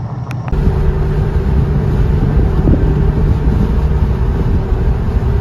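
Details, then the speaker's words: Goodyear Wrangler Authority tires on a truck after 40,000 miles, rotated only once, were phone-recorded at highway speed. The front tires' inner lugs are worn on every 4th–5th tread, and the result is a loud, constant low roar under wind noise from uneven tread wear. "And then at higher speeds, you'll hear it in the clips shortly here, but the sound of them like slapping the pavement for every like extra worn knob here was just terrible."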